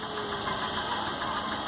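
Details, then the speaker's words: Chevrolet Corsa (Montana front) at idle, transducer and oscilloscope test pinpointing tapping at cylinder 4; quick light tec-tec tapping over the idle from the top of the cylinder head, not bottom end, apparently camshaft/valve train. "você já matou aqui o barulho lá a pancada né aquele tec tec tec tec tec tec tec tec está batendo a ela no cilindro 4"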